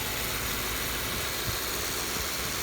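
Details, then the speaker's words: 2015 Subaru Impreza 2.0 Limited recorded under the hood at idle: steady even hum with light fast ticking, which the phone mic exaggerates compared to in person; no knocks or misses, normal idle. "my phone does pick up small engine noises so you will hear uh more ticking than you would in person"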